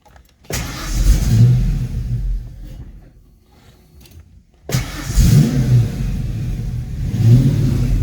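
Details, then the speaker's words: Foxbody Mustang after swapping stock intake for GT40 tubular intake, fuel pressure about 43–44 psi: engine revs with throttle, dies as soon as the pedal is released, then restarts; choppy, surging idle and stalling. "that's my foot a little bit on the gas pedal now my foot's off it just stalls"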